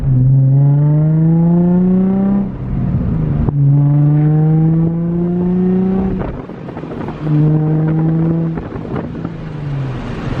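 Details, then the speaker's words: Nissan 350Z after new valve cover gaskets, plugs, plenum gaskets, Y-pipe and test pipes, done to fix a P0300 random misfire: three clean rev blips, loud and raspy, no stumble or misfire; the engine pulls cleanly. "Dude, that sounds good. What the heck?"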